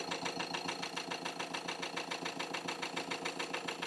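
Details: Ford Transit Custom diesel idling after repair of a fuel pump circuit fuse connection fault that caused repeated breakdowns, fuel pump voltage now constant: a steady, even idle with a light regular pulse and no stumble or misfire, running normally.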